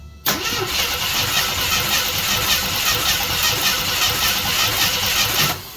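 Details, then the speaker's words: 1976 AMC Gremlin 232 inline-6 that shakes under acceleration, cranking during compression test on cylinder 5 after 150 psi on cylinder 6; fast uneven starter whir that never catches; cylinder 5 has no compression. "Okay. We get nothing. Not a wiggle."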